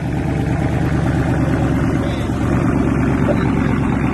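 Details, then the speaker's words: Dodge Scat Pack V8 cold start; deep steady rumble at raised cold idle, even and strong, no knocks or misses, then mellows out; healthy. "Man, this old Scat sound good. I love when that thing first crank up, boy. Hey, cold start dangerous on this song."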